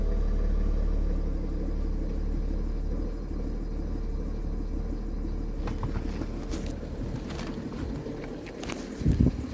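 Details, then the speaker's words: BMW 335d diesel running excessively loud at idle, with a deep rumble and irregular low throb; rpm fluctuates up and down on startup. Noise seems to come from everywhere, and the cause is not identified. "damn it is super it is super loud hear like taking from everywhere"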